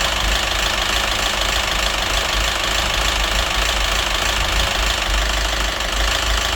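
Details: Citroen DS3 1.6 petrol with a loud, uneven metallic clatter over a rough idle, about three beats per second. It had been run without oil, with hunting revs and rich-mixture, oxygen sensor and phasing codes. Knock unchanged after a part swap; head or crankshaft suspected.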